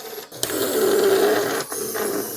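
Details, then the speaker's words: 3D-printed robot bear mechanism, 6 V motor driving a Scotch yoke, first spin test: rough, steady growl from the small motor and gear train throughout, too harsh for a smooth mechanism; suspected fault, cause not confirmed. "Interesting enough, the machine sounds like a growling bear."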